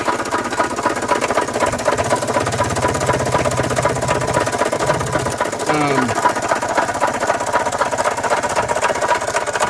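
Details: 1993 Toyota Tercel on a lift, just started, heard at the engine: loud, uneven knocking at about four per second over rough running, and it won't accelerate. The owner suspects a rod knock; the cause is unconfirmed.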